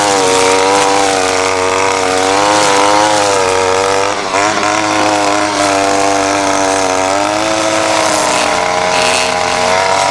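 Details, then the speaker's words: Ryobi SS30 30cc two-stroke weed trimmer after a simple low-side carburetor adjustment: steady high buzz under load without bogging or stalling; runs great though perhaps not exactly fine-tuned. "trimmers running great just a little bit of tweaking has definitely helped and it's probably not exactly fine-tuned but uh you know it's running great as far as I'm concerned here it's just not bogging down it's not stalling out"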